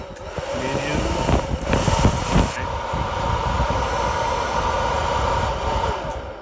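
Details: Modified Presto Poplite popcorn popper coffee roaster with dimmer-controlled fan and heating coil, running on fan only: after some handling knocks, a steady mid-pitched whirring drone settles in evenly as the fan spins normally.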